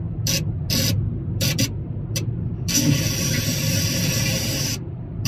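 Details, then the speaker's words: MG3 Hybrid+ while driving, windscreen-integrated radio antenna: under road rumble, loud hiss bursts cut in and out, one lasting two seconds. Radio reception dropping out; owner suspects the windscreen antenna. "je sais pas si vous entendez ça coupe beaucoup donc malheureusement on a toujours les même défaut non corrigé"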